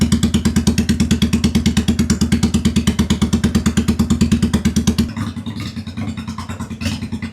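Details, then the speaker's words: 2001 Honda Shadow VT750 first start after an oil change: lumpy, stumbling thumping with the rear cylinder smoking and hard restarts. Carb dumping fuel into the cylinder is suspected, not confirmed. "It keeps not wanting to restart and then that top that rear cylinder is smoking."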